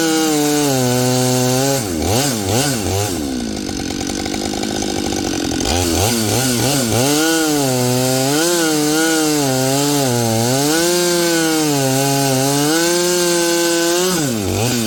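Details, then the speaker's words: Husqvarna 572XP chainsaw built from used parts, milling planks: a high, clean two-stroke scream that sags and recovers as the bar bites the wood, pulling strong and even with no misfire. "this one right here is the one with a fresh top in sounds like it you know I think it's runnin"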